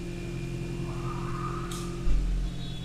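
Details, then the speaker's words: 2012 Hyundai Accent with check engine light and a stalling complaint, brake-torque test in drive after topping up more than 2 liters of missing oil: steady even drone under load, and the earlier rattle is no longer heard. "So earlier when I was doing that, I can hear there's some rattle noise in the engine. Right now I don't hear at all."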